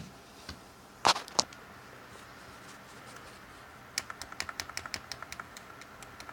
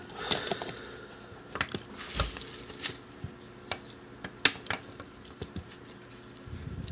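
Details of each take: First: Brand-new Xbox One Elite controller, sticky right trigger out of the box: light plastic clicks, a pair then a quick run of about a dozen taps as the trigger catches on an overhanging rubber stopper. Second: Brand-new Xbox One Elite controller with a sticky trigger, after repair: a few light, crisp plastic clicks at uneven intervals in a quiet room; each trigger pull sounds clean and normal.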